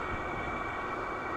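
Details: Silvel 8KW 12V diesel air heater, warmed up on its first run: an even whoosh of air with a steady mid-pitched fan hum and no surging or rattles. It reads about 178–200 at the tube, is very warm to the touch, and runs normally.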